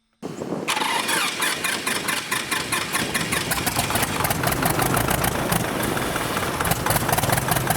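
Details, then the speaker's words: Light airplane piston engine on a second, flooded-start attempt with throttle full forward: after a brief struggle it catches and settles into a fast, even run. Oil pressure then reads 60 PSI at 1,000 RPM. "There it goes. Oh no. Man, this thing is impossible to get it. Oh, there we go."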